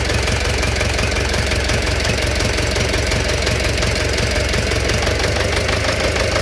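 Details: Engine knock at idle: a loud, fairly even knock about three times a second rides over the engine's hum.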